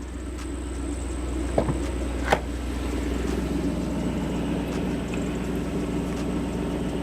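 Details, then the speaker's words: 1993 Lexus SC400, fully warmed up, idle near 1000 rpm after hovering around 700–800: low, even idle rumble with a couple of stray clicks; idles smoothly after a sensor fix cured the rough/high idle. "no problem i think it's cause it's fully warmed up we're almost warmed up whatever idling smooth very smooth very smooth wow very smooth"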